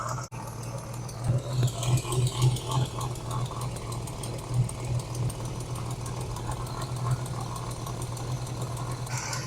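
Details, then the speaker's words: Abandoned 1988 Chevy S10 Blazer running after sitting: deep, loping idle that surges unevenly about three times a second, sounding like a cam, and it barely wants to move in gear; the engine runs rough but drives. "she is she's rough but she runs and she drives"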